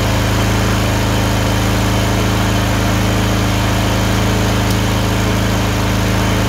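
Deep, lumpy idle with an uneven beat of about three a second; the twin sounds like it's missing on one cylinder, then the other.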